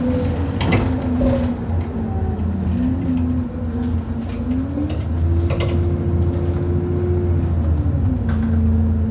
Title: 10662 YX66 WDE making a loud knocking noise over potholes on the 27 service to Wombwell